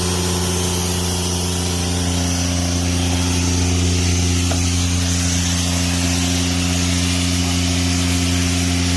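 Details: Airman PDS90 air compressor, 3-cylinder diesel, used import, mostly original; steady even diesel drone, constant low hum and strong hiss of escaping air, no knocks or misses; strong air, running healthy.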